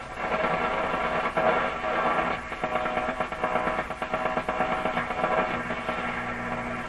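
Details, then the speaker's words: 1940s (maybe 1942–43) RCA Victor A38 shortwave tube radio, reassembled, band A tuned to 640: steady hiss, faint whistle and rhythmic putt-putt pulsing, a huge noise signal from unknown household interference; the antenna is then re-aimed. "A huge noise signal right on 640. I'm going to adjust the antenna in The putt-putt is some kind of interference."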